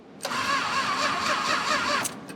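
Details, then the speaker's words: 1966 Chrysler Crown Imperial, Mopar big block, sat 21 years: starter spins under two seconds then cuts out with stray clicks; bad connection on the wire to the starter solenoid, fixed by snipping off the bad section; intermittent cranking. "Oh, we got some bad connections there. Weird. Yeah, that's gonna be a problem."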